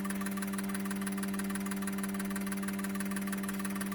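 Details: Injectors from a 2002 GM 6.0L LS drive-by-cable engine (likely pickup-bound) all firing on the cleaning machine; steady hum with fast, even ticking about three clicks a second. Camera frame rate likely only makes it look like misfiring. Normal injector firing.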